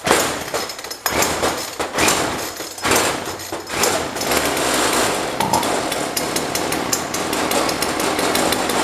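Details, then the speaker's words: Jonsord 2036 Turbo chainsaw from a neighbour, just got running: stumbles through a few rough bursts, then settles into a steady buzzing run with no misses while left to warm up; running healthy. "I would say we've got it I'm gonna let it warm up for a little bit"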